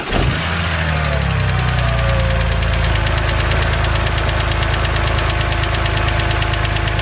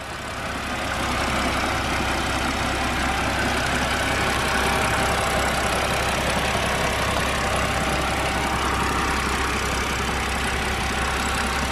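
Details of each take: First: BMW 130i with N52 engine, bonnet open, fired up to idle: fast, light ticking over the steady hum from the hydraulic lifters at the top of the engine, the infamous N52 tick; said not harmful. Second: BMW 130i N52 engine idling outside after quick temporary fix for hydraulic lifter tick, worst on cold starts: steady idle, lifter tapping gone, only faint quick injector tick remains.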